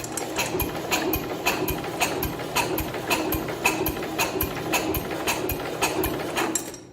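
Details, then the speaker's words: 1970 International Cub Cadet 127, sat 10+ years as a parts tractor: cranking with the spark plug refitted and ignition not yet hooked up. An even chuff about two beats a second shows healthy compression; the engine spins over fine. "It's got compression, and the engine sounds fine, spinning it over like that."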